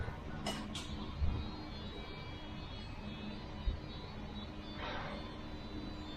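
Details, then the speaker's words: Ford F350 pickup after oil pan replacement, engine reassembled and first fired up: quiet, low, steady diesel idle with a couple of light clicks, no knock or miss; running normally. Muffler still needs changing. "well there we go looks good that's the runner for a little bit make sure everything's all good and stuff keep an eye on it for a little bit but yeah it's all put together running good sounds good"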